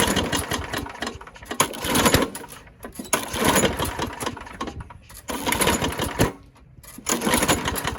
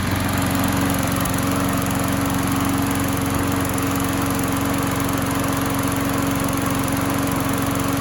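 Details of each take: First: Craftsman push mower pops on repeated cranking but never catches and runs; scattered pops from a sheared flywheel key that knocked the ignition timing out; broken flywheel brake cable. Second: Craftsman single-cylinder mower that popped but wouldn't start, run after a flywheel key replacement, primed and left running: steady, even drone with constant tone, no misses, pops or surging; normal running.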